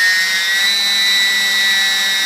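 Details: E-flite P-51D BL UMX brushless motor on the bench at high throttle, around 70–100%: high, steady electric whine holding fairly even with no rough or grating note; slight backing off at 100% probably battery discharge rate; healthy.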